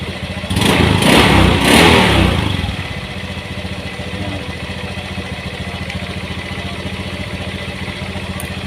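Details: Honda Beat FI scooter that won't electric-start and has a dead speedometer but kick-starts; running with the battery disconnected: a short rev blip, then a steady, even idle with no knocks. Charging measures a good 13–14 V, relay pin 4 is OK, and the battery is the fault.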